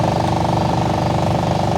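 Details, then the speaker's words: Toyota 4Runner blower motor running: steady fan roar with a rattly, fluttering tone; something inside the housing, acorns previously cleaned out, suspected debris, not confirmed; motor to be removed and cleaned. "So what I got to do, I've got noises. Like, listen to this. There's something in there."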